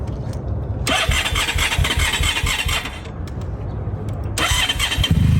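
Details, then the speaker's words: 1991 Honda ST1100 revived after long storage, just after fixing a non-working carb: engine catches and warms up on choke with uneven idle and rpm creeping up; the earlier knocking is gone, normal idle. "got to running on choke right now we'll give it some time to warm up a little bit you can see it's already hopping up an RPM"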